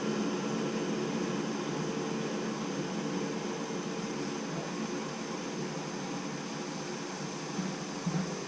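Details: Navien tankless water heater that shut down on error code 352, re-run after repair with tech support help: an even, steady rush of fan and burner with no surging, banging or cycling off. It runs normally.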